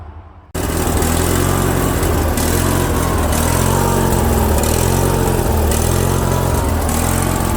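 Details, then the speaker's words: Craftsman lawn tractor with a Briggs & Stratton opposed-twin engine and a non-adjustable carburetor: starts and runs with its speed swelling and sagging. Surging; the fix is cleaning the jet behind the carburetor bolt with a small drill bit. "so here's the tractor guys I'll start it up so you can hear that surging then I'll show you the solution to stop that"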